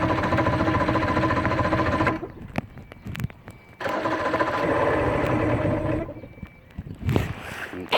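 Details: Johnson 115hp V4 outboard, just after the ground wire was changed: repeated bursts of steady starter cranking at a few pulses a second with quiet gaps and no firing. The engine turns over but won't start.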